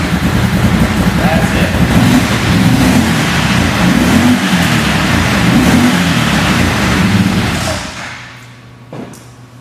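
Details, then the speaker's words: Newly assembled 800 UTV, first start after fuel pump priming: small engine runs loud and steady with light revving, then drops away; healthy, even run with no knocks or misses. "Then all you got to do is turn the switch, and it should simply just crank right up."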